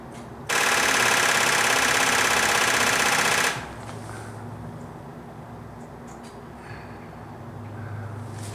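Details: Genie boom lift on a cold construction site, weak battery at 11.5 V and a loose main battery cable: fast machine-gun starter chatter for about three seconds with no cranking; bad connection and low voltage suspected, not confirmed.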